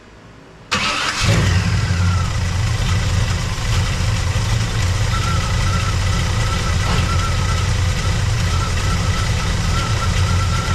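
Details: Squarebody truck V8 after fixing a broken header tube exhaust leak (gasketless ball-and-socket collector flanges), hot shop around 100°F: cranks, catches fast, steady deep burble, no puffing or ticking; exhaust sealed, a panel rattle remains.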